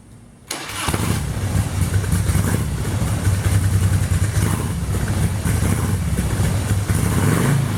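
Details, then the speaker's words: 1997 Harley-Davidson FLHTC Electric Glide Classic rebuilt with used low-mileage parts, Mikuni HSR42 carburetor with issues, rebuild kit pending: cranks and catches, then lumpy, uneven low idle with loping beats; rough running. "well as you can see it's alive um got some issues with the carburetor"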